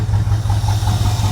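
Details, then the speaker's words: Squarebody plow truck V8 after sitting for years, restarted with new battery, about 25 psi oil pressure: low steady idle with even firing, smooth and quiet; slight tick may be starting, oil change planned. "Super smooth, quiet engine."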